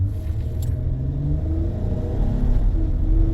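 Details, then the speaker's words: Honda Odyssey brought in stuck at 10 mph, suspected transmission, no codes, cause thought to be floor mats: deep engine note climbs smoothly from a dead stop with no stumble or flare; normal acceleration. "You can hear it revving up. And I got no problem. I'm doing 60, so."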